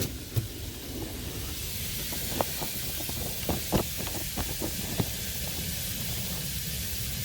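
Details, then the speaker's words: 1/2" copper 90° elbow leaking at 110 PSI due to a failed pressure-reducing valve; a loud, steady rushing hiss like a river, with a few handling knocks. Pressurised water leak spraying. "All I can tell you is that doesn't sound good. Wow. It's even louder over here. Holy mackerel. That is super loud, dude. That sounds like a river."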